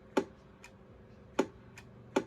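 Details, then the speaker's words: 1972–73 Pearce Simpson Cheetah SSB CB radio (shares the Courier Gladiator PC board), first power-up in over 20 years: soft single clicks at key-up and release, short and clean with no buzz or chatter. Transmit relay pop notably quiet, working properly. "And that pop is not bad at all."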